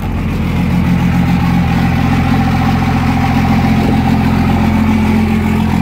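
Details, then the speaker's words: 2nd-gen Dodge Cummins with VP44 pump, cold start after adjusting fuel pressure (was about 21 psi, target 14–20), securing grid heater, cleaning ground: loud uneven lumpy clatter about three and a half pulses a second with smoke; owner suspects VP44 failing. "So it still started rough, guys, which sucks."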